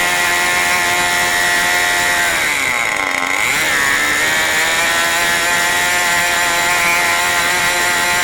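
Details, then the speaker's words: New OS 40 FSR model engine, second tank of break-in: high steady whine with a brief dip near three seconds that recovers, running faster than wanted; high and low speed needles still need setting. "obviously you can see I let it get a little bit higher rpm this time actually a little bit higher than I wanted I was really wanting to run it in the mid-1990s"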